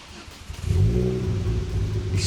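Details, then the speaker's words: Ford Focus ST-2, 99,000 miles, started about ten minutes after last run: cranks and catches into a lumpy stumbling rumble, badly misfiring, black smoke from exhaust, engine light on; cause unknown. "But it was badly misfiring."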